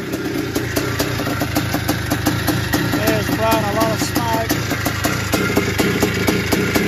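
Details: 1981 Suzuki RM465 two-stroke barn find, first start after fuel poured down the plug: idle with a fast loose metallic rattle on each firing beat; owner suspects it needs a top end, heavy smoke suggests blown main seal, clutch side suspected.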